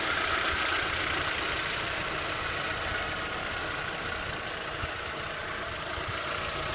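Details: VW Passat B5 at hot idle: quick, fairly even light ticking about three or four per second over a bright engine hum; hydraulic lifters ticking when hot.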